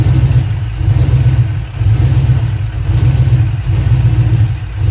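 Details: LS-swapped 5.3 V8 with a deep rumble that surges and sags unevenly about once a second, rough running with a misfire; fuel pressure is suspected but the cause is not confirmed.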